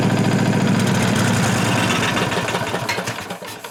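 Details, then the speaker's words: 1998 Briggs & Stratton Vanguard 16HP horizontal-shaft V-twin (model 303447), first run after fuel line cleared; fires unevenly with a rattling tick about three a second, then shut off. Rubbing noise. "Then I had to shut it off because it started making a noise."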